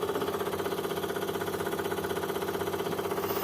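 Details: Daihatsu Zebra Espass fuel pump running at key-on with no relay fitted; steady rapid pulsing buzz about four beats a second with mid-pitched hum, even and unchanging; fuel pump working normally.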